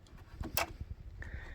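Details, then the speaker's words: 7.3 IDI diesel Ford bricknose truck being stripped for a circle-track race build, quiet cab with all fuses pulled and battery just reconnected: a sharp single click then a faint steady tone as the glow plug relay energises normally. "went ahead and disconnected the battery I'm going to reconnect it and see if I still hear the glow plug relay"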